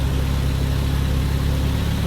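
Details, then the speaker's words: 1988 Jeep Comanche Renix 2.5L I4 after idle speed motor and TPS adjustment: short steady low idle at about 950-1,000 rpm, TPS reading 10, no hunting; normal idle. "Yeah, so now she comes right back down, rating 10 on the TPS. And idles around 950 to 1,000."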